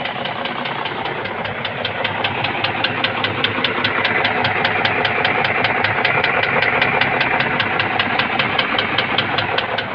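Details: BMW M62B44 V8 engine: sharp, even metallic knocks at about two and a half per second over a steady idle; cause confirmed as a knocking piston.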